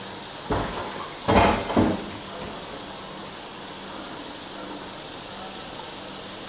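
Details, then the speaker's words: Presto pressure cooker cooking ketupat on gas, flame turned down then raised slightly, about 15 minutes in: after a couple of bumps, steady even steam hiss without surging, meaning pressure and temperature are sufficient. Normal steady steam venting. "masih terdengar ya bunyinya itu ya jadi kayak gini udah cukup nggak terlalu kecil dan nggak terlalu besar nggak harus sampai muter-muter sampai goyang-goyang ya kalau uapnya sudah keluar seperti ini berarti tekanan dan suhu di dalamnya itu udah cukup"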